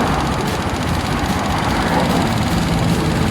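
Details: Honda Click 125i scooter after replacing the fuel pump motor to cure hard starting and poor acceleration, pressure now above 350; steady, even smooth low rumble with no misses or surging. Normal running.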